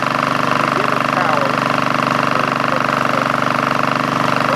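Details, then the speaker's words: Craftsman GT5000 lawn tractor twin, troubleshooting with the left cylinder's plug wire disconnected: lopsided beat, running on one cylinder. Very little vibration this way. "okay for troubleshooting purposes I have the wire going to the to the left cylinder disconnected and we see how it is got very little vibration"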